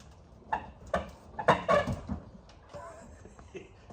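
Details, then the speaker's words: Capri Foxbody being rocked up and down to show its worn-out struts: dull clunks about every half second with some creaking. The noise comes from a fender working loose where a bolt is missing. "That noise that you just heard, there's a bolt missing right here to hold the fender on."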